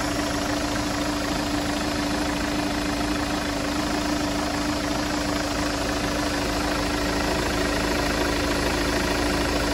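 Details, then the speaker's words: Chevrolet Captiva diesel after replacing the noisy idler pulley and tensioner: steady idle with faint even hum and no squeal, chirp or rattle from the belt side; now smooth, normal idle. "Jadi sekarang bunyinya sudah halus seperti"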